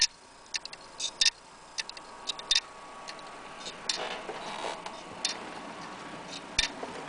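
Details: Laptop hard drive that won't read or even be detected: sharp, dry ticks repeating irregularly about every second over quiet hiss; failing drive stuck clicking, click of death.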